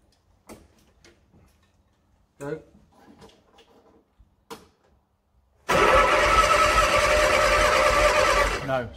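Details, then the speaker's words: 1968 Bedford CA ice cream van, long laid up, no fuel found on the number one plug: starter spins the engine at an even churn, about 2.5 beats a second, never catching. Spark lost, contact-breaker points suspected. "oh lost all all spark we nearly celebrated didn't we"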